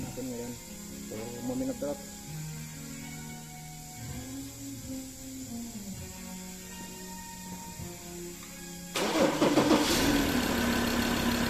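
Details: Mazda BT-50 3.2L diesel that cranked but wouldn't start from a failed cam angle sensor: over background music it cranks briefly, catches cleanly and settles into steady diesel clatter; normal start.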